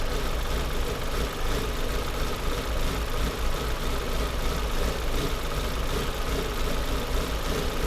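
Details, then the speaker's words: Volvo S40 engine idling rough, stumbling and misfiring with fluctuating rpm; MAF, air-quantity and lambda fault codes; loose vacuum hose near idle air control valve lets unmetered air in, spraying it worsens idle; rough idle from vacuum leak. "это явно подсос так Ну в принципе уже понятно что проблема с этим с этим патрубком"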